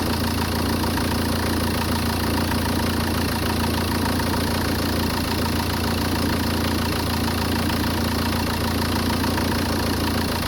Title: Peugeot 406 2.0 hdi making strange noises & unstable idling